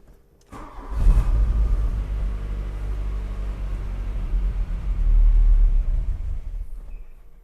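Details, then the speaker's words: 1985 Volkswagen Cabriolet that sat 10 years, fresh fuel and battery: brief crank, catches and runs rough and uneven, then dies; starts then stalls from excessive fuel pressure. "Wow. Yeah, fire right up. It's not staying running, but we'll try it again."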